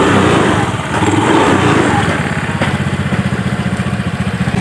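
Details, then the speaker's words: Honda Vario 110 FI scooter with rough starting, running before CVT service: coarse, uneven, too-high drone with a fast pulsing beat from the CVT; front wheel also clicks when turned and steering head is worn. "ini kita mau service bagian CVT ya ini langsung kita Nyalakan dan suaranya di sini lumayan agak kasar ya Dan terlalu tinggi"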